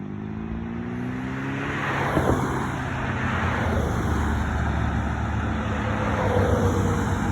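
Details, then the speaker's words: 1971 VW sandrail, freshly rebuilt flat-four, basically stock 1679 cc with 80 mm pistons, progressive linkage, after sitting 10-15 years: even, steady drone with a clean rev and no knocks or rattles; runs smooth with good power. "runs super good run it down the street nice and smooth good power real sharp little sand rail"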